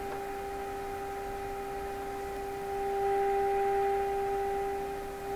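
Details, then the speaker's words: Stromberg Carlson 561 tube radio after replacing last wax capacitors, fed a 400 Hz signal-generator tone: steady tone with a hard, slightly buzzy edge, not pure, possibly hum modulation; distorted output, cause unknown. "a little hard edged to me sound doesn't sound pure"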